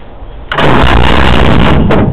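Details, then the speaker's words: First test of a reconditioned J60 engine in a CVR(T) Striker, temporary wiring: starter spins the engine with a strong, even churn about 1.5 s; cranks freely but doesn't fire yet. "Turns over. Even better."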